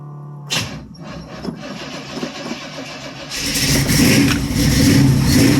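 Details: Chevy Nova V8 cold start after replacing fuel line, choke not yet bolted up: cranks briefly, catches, then settles into loud fairly steady fast idle with some rising revs; normal cold start.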